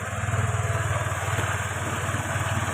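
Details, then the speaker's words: Honda Vario Techno scooter after replacing worn valve guides, which had caused smoking and a rough top-end noise: an even, steady low putter at idle with no knocking or ticking. No longer smoking, a normal smooth idle. "dapat kita lihat sudah tidak berasap dan di sini mesin sudah halus"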